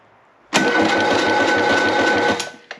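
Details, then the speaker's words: Older marine Perkins 4107 diesel with rebuilt injection pump, replacing a blown 4108 in a Gehl 4610 skid steer: starter grinds over in uneven low pulses about two seconds, no firing; cranks but won't start, hot start to be retried. "Okay, so it's still not quite wanting to start, so let's try the hot start again."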